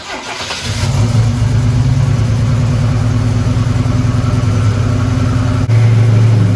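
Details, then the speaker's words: 1987 Buick Turbo T (Grand National) started after 12 years, intercooler zip-tied away from the fan: deep steady even rumble, no ticking or scraping; healthy running. "And yeah, just zip tie it for now, just so you can hear this sweet engine roar some more."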